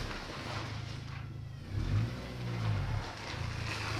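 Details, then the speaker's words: BMW MINI R50/R52 Cooper after engine refit, running toward operating temperature; low steady moan rising and falling with steering held at full lock, a power steering whine. "They haven't got a nice whine there on that power steering when it's on full lock."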